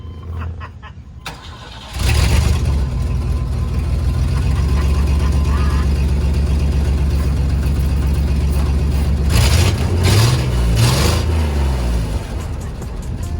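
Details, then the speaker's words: 1955 Ford F100 lifted 4x4, sat outside for months in rain: quiet, then catches on the first turn and settles into strong even idle with no misses or knocks; normal start. "literally the first turn just fires right up which is awesome"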